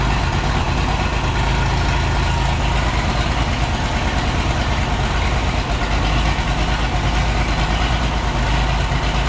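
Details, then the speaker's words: Oliver 1650 tractor diesel, first start after sitting at least 3 years, fluids checked, new battery; heavy, lumpy, stumbling idle with dropped pulses and lots of smoke, not running on all six cylinders, needs at least injector work. Diesel misfire. "And yeah, you can see it at least needs injector work. She's making a lot of smoke, not running on all six."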